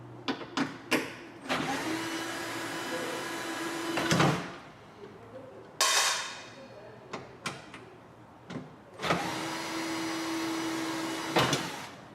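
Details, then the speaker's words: 2004-2008 Ford F-150 old power window motor removed, before replacement with a Motorcraft WLRA3. Two long strained steady hums with no free-running whir; it no longer turns: failed power window motor. "so here we have our old unit this one doesn't work anymore it doesn't it doesn't even turn on you can hear it trying but it uh it's junk it's old"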